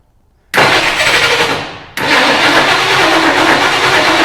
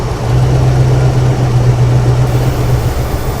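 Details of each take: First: 1975 Ford Ranchero GT V8 with hard starting and a broken choke; unplugged manifold vacuum port makes it catch, sag and die twice, then run rough with a hissy whine from the open port; vacuum leak causing stumbling. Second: 1975 Ford Ranchero GT V8 with a hard-start stumble from an unplugged manifold vacuum port; with the port covered by hand, the engine settles into a steady, even idle with a low, smooth rumble and no hiss.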